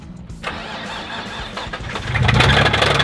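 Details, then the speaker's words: Infiniti G35 (VQ engine) drift car with welded differential, knocking after about 20 minutes of driving following winter work: engine catches after short crank, settles into a quick steady knock about four per second under running noise; rod knock. "I know it's got a rod knock and a welded differential, and Gage already jumped in the seat and he's ready to go."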